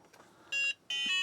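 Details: Book8088 laptop power-cycled with a flash card fitted: clean, high short beep then a longer one; normal POST beep, machine passes self-test.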